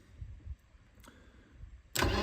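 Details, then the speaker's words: Mercedes-Benz 190E not run in many years, cranking with chainsaw fuel squirted in: low starter churning then a loud burst, no catch; no fuel pump sound at ignition-on, owner concludes a fuel pump issue. "I don't have a fuel pump still. Because I always noticed how much the fuel pump in these cars sounds when you put the ignition on. It's like everyone. Nope. So we have a fuel pump issue."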